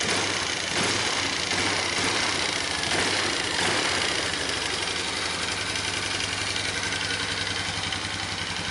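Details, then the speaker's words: Magnum that hadn't run in a few years, fresh oil change, oil likely overfull, gas in carburetor lower section suggesting a diaphragm: steady, even note, quiet clutch, revs up cleanly with no bogging. "let's just try boy is it ever quiet man that clutch hardly makes any sound at all and she rubs right up no bogging right on"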